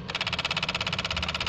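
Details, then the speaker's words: Proton Waja MMC automatic after a battery-disconnect reset and new TPS. With the key on and the engine not started, the idle stepper motor gives a short, high buzzing stutter of quick pulses, then stops. The stepper is moving normally. "Okey, abang tolong I on kunci je, jangan start lah. Kita nak dengar stepper motor ada gerak tak."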